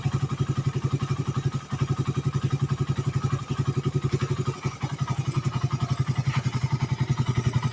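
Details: Suzuki Satria FU 150 cc after the cam-chain top timing mis-set by another workshop was corrected, which had caused rough idle, harsh sound and high fuel use. Now an even, rapid single-cylinder thump at steady idle with no stumbling or clatter. Runs cleanly.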